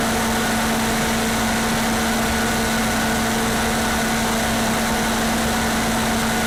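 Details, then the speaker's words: Older standby generator, one of the newer older units, with its muffler still on, running unloaded during a pre-storm test: steady, even engine drone with constant hum, no knocks or misses; running smoothly. "it actually has the muffler on it so it being that loud is not that loud"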